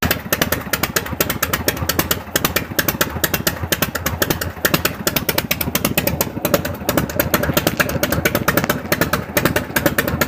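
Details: 1974 FLH V-twin idling and revving after pushrod and carburetor adjustment and exhaust leak fix: crisp, even firing pulses with no miss or rattle, pulling cleanly; normal running.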